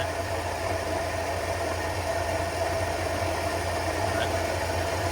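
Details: 1950 Studebaker Champion idling with plain water circulating and the radiator warming evenly (radiator likely needs to come out): smooth, even low hum with no knocks or misses, steady like a sewing machine; engine sounds healthy.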